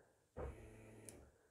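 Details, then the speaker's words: 2003 Opel Corsa C fuel pump run by bridging pins 30 and 87 of the pink fuel pump relay: low even electric hum starts abruptly, holds about a second, then fades; pump working normally. "as you can see we've got pin number 30 and 87 I will connect these and the fuel pump is on"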